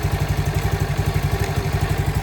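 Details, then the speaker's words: CT70 clone small single with Nibbi carburetor after pilot jet increased: weak uneven low idle with choke off, barely staying lit; idle mixture (air) screw needs adjusting. "It's actually idling with the choke off. Barely. Uh air fuel plane needs a tweak, but I think we're good."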